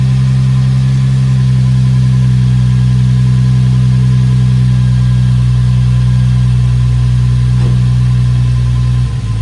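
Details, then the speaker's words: Infiniti G35 petrol V6 on a cold start, after throttle body cleaning and ECU reset: steady, even low idle slightly above 1000 rpm with no stumbling or hunting. Normal idle. "Right now it's idling a little bit above 1, but that's because it's a cold start."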